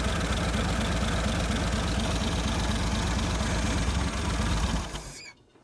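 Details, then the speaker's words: 1950 Nash Statesman, first run in 23 years, on 12 volts via jumper cable after 6 volts cranked too slowly: even steady idle with a clean regular beat, no knocks or misses, then clean shutdown; running healthy. "Well, guys, it runs. And I would say it runs pretty good with 12 volts."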